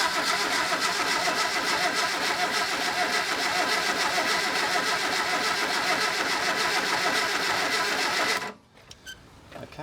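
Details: 1974 Reliant Rebel van, four-wheeled, fully rebuilt engine never started, vehicle unused 10+ years, oil pressure confirmed: starter churns steadily about three and a half turns per second for eight seconds without firing; cranks but won't start.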